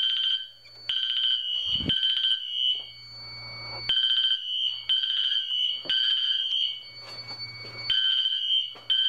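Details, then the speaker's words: Fire alarm test: horn and MT4 horn not synchronized despite Wheelock sync modules, Edwards panel; loud horn blasts in uneven overlapping bursts. Unsynchronized fire alarm horns. "id the system test even though i have both knacks on wheelock sink both of those strobes do not sink nor does the horn on that one and the horn on the mt4 sink so this system is not going to be synced"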